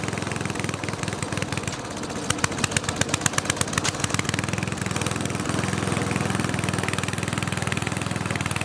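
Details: Snowflite snowblower started outdoors with fresh gas: small single-cylinder popping at a steady even beat, no misses or knocks; runs clean and healthy.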